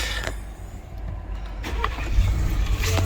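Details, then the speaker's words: 2018+ Ford Expedition with a newly installed 10R80 transmission, started for the first time at pickup. It catches cleanly into a steady, even low rumble with no knocks or check-engine lights, then drives off in gear. "turns on sounds good no check engine lights shifting the gear here we go we're alive we're moving"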